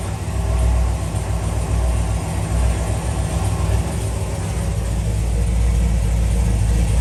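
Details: LS3 V8 in a Camaro, first start after both heads off, a stuck cylinder-one lifter removed and a new cam and lifter set fitted (it had backfired through the intake and ticked badly): deep, steady, quiet idle with no ticking; normal idle.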